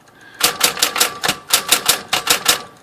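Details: Smith-Corona electric typewriter after tightening a loose piece in the type basket that caused an odd noise on one key. Crisp, even keystrikes about four a second with no extra rattle or buzz; normal typing.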